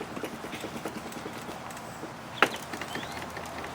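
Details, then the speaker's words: Kawasaki KLF 185 ATV front end rocked by hand: light quick knocks about four a second, slop at the top steering shaft bearing. Not yet taken apart; cause is suspected, not confirmed. "it's got a little bit of slop in it"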